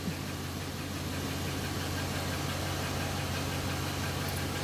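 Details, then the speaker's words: 2015 Dodge Challenger V8 idling with a faint, quick light clicking over the steady low rumble: lifter tick, present for about a year; a common Challenger problem. "But the thing I want to point out is the lifter tick."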